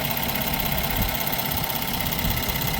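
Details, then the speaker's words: Brand-new 2025 Ram 1500 with the SST inline-6 twin-turbo (420 hp, 476 torque), also low on coolant: steady idle with a fast, light clicky tick over the engine note; owner thinks it shouldn't sound this ticky, cause unknown. "the noise concerns me a little bit too I just feel like it shouldn't sound this clicky this Ticky if that makes [Music] sense"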